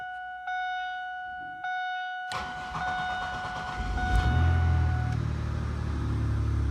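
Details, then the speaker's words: 2002 Pontiac Grand Prix after ignition switch replacement, first start in 5 years with Seafoam and fresh gas added: warning chimes, a short crank, then the engine catches and settles into a steady run; normal crank and start. "now let's crank it let's see what happens if it will crank that's the goal"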